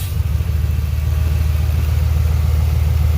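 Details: 2006 Ford F-150 V8 that misfired on multiple cylinders from a vacuum hose leak; with the leaking hose blocked, idle becomes a steady, even, smooth rumble with no stumble or hiss.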